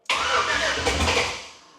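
Engine catches at once with a sharp roar, then quickly settles back down; it fires promptly, with no long cranking or sputter.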